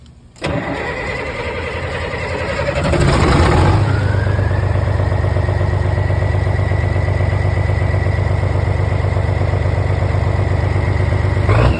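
Starter churns, then the engine catches and rises to a steady, even idle with a low regular thump; it fires up only on a shot of starting fluid. Cause suspected, not confirmed.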